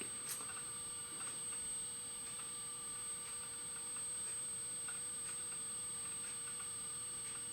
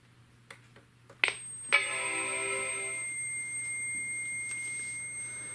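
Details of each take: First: Apple PowerBook 170 rescued from e-waste, quitting Microsoft Word: light irregular ticking of head seeks over a steady faint hum; the old laptop hard drive is accessing normally. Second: Apple PowerBook 170 at power-on: after a click and the startup chime, a thin, steady high-pitched whine rings from the speaker; said to fade after a while, cause unknown.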